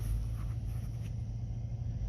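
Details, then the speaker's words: Petrol car idling with a steady low rumble, running smoothly and evenly after five gallons of fuel added. "up and running even though it's got three quarters of a tank it only has two gallons in there"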